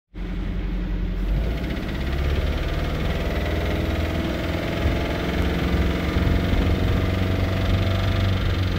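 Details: 1972 MerCruiser 3.0L 181 cu in 140hp engine with all plug wires attached: low heavy idle with irregular deep knock about three per second; engine later pulled, crank, rods and bearings looked fine, lower unit swap didn't help; cause unknown.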